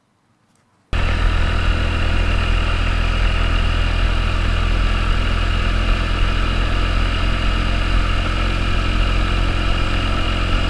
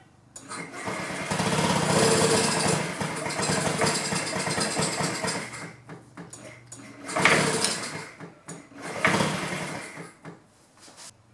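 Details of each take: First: 2009 Honda Metropolitan scooter after fuel system and carburetor repairs, plunger sanded and lubricated with silicone spray: steady even low hum at constant speed, no misses, pops or rattles; normal running before road test. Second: 2009 Honda Metropolitan scooter, owners fitted a new carburetor and battery; starting fluid sprayed into the intake. Rough bursts of cranking that fire briefly and fade: it has spark but gets no fuel, no-start from fuel starvation.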